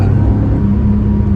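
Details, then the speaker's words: 1982 Porsche 911 SC flat-six, revived after sitting 16 years (old gearbox oil drained, seized exhaust freed, arches rolled), running with a steady deep rumble and even hum, no knocks or rattles; normal running. "There's a smile on your face. SCs are awesome."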